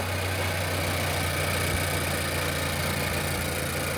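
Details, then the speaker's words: Nissan Qashqai 1.2 DIG-T after timing chain and failed VVT cam sprocket replacement: first start, idles smoothly and quietly with even steady hum, no misfire or rattle. "that nice and quiet, no misfire, and everything is good to go."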